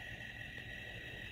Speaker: Well, since we've gotten a little closer, you and I, you're gonna have to hear that squealing that I've been hearing all night.